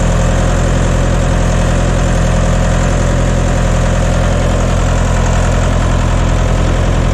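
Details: John Deere 2030 tractor diesel just after refitting overhauled, calibrated Stanadyne/Roosa Master injection pump, cold day, not warmed up: deep knock-free thrum at steady low idle, no stumbles, burning clean with no blue smoke.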